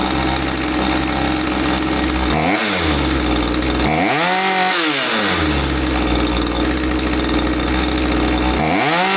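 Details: Husqvarna 543XP chainsaw after corrective carb adjustment, bog previously caused by owner's misadjustment: clean idle rising smoothly to full screaming revs and back three times with no bogging or stumble; normal running.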